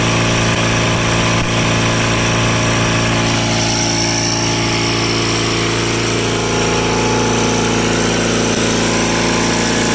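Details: Rare factory-built Cub Cadet garden tractor (one of 83 built), twin engine governed at 3600 rpm wide open: steady even drone at one speed, no misses or knocks; healthy at governed full throttle.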